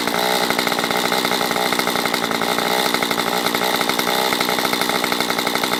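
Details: Stihl MS194T chainsaw after its fuel problem was fixed and the carb richened, warmed up and oiling: it holds a high, steady two-stroke buzz without stumbling, surging or dying, running normally.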